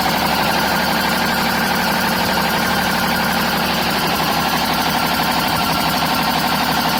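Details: BMW 530d M57 diesel idling with a loud, harsh screech in the engine bay pulsing about three times a second; it is not the belts.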